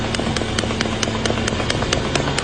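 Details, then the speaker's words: BMW M5 with owner complaint of engine knocking: sharp, even knocks about four or five per second over the engine after a throttle blip; cause not stated. "парень приехал на BMW M5 с жалобой на то что у него стучит двигатель"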